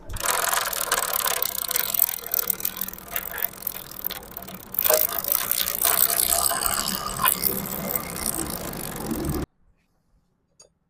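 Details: Motorcycle drive chain noise: irregular dry clicking and rattling over the engine, about three or four a second, loudest mid-clip; noisy chain, cause not identified.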